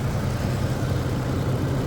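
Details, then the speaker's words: 2011 Nissan Frontier 4x4 V6, hood open, no check engine light (VDC light on), new battery: steady low, even idle with a smooth rumble and no ticks, knocks or misses; sounds healthy. "there's the motor. The V6 motor. Sounds like it's running good, doing what it's supposed to."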